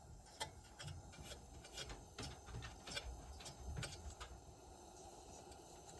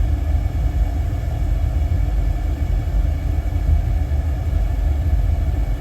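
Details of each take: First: Dry irregular squeaking chirps, about three a second, from an old Burnham gas boiler burner motor that is partly locked up and spins poorly, only starting sometimes despite power applied; motor judged bad. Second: Old Burnham gas-fired boiler after repair, first fire-up, about 76% efficiency with CO slightly climbing: steady deep burner roar, even, no surging, pulsing or rattles; running properly.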